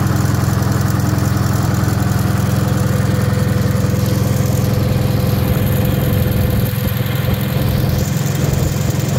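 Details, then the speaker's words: Wisconsin THD air-cooled twin on the bench, fitted with a flush head that tucks into the shroud; even, regular low chug at steady speed, no tapping or clatter; the head makes it quieter; normal running. "I just kind of thought that head was cool, but man, it definitely makes it quieter. It really does."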